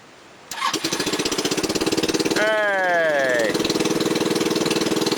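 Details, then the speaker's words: SL250 250cc scooter after electrical, vacuum line and carburetor rebuild, de-restricted muffler, makeshift air filter, running slightly rich, cold start after sitting overnight: short crank, catches at once into an even steady putter; enlarged idle jet makes cold idle high, lower when warm. "it seems the idle high when it's cold when it warms up it idles lower"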